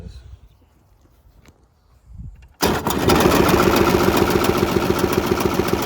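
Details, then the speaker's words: Polaris Trail Boss 350 quad abandoned 15 years, jump-started with choke and poured-in gas: quiet cranking, then catches and runs fast and ragged with uneven popping, sounding bad; owner suspects carburetor full of junk. "I guess me get started close no chance that didn't sound good that did not sound good"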